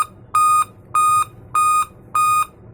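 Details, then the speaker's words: Dell laptop (model P24T) at power-on: sharp, even high beeps about half a second long, repeating steadily in a five-beep error pattern; POST code indicating CMOS battery failure. "तो इसका solution क्या हो सकता है तो आज की video में हम वही देखेंगे ठीक है"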